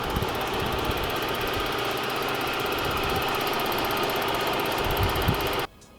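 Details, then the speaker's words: Purge valve on a 3.2L V6 6VD1 engine (Honda Passport / Isuzu Rodeo, P0441), valve with two rubber hoses and an electrical connector; fast, even light ticking about four per second over steady idle, normal purge solenoid clicking. "That is your purge valve right there. You have 2 rubber hoses and an electrical connector going to it. This is a thing that ticks when you're idle."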